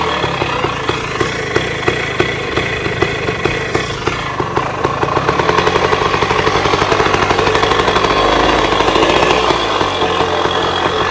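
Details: 1966 Bultaco Lobito two-stroke motorcycle after yearly storage: crisp even popping about three beats a second, then busier and slightly faster as it warms; normal two-stroke idle.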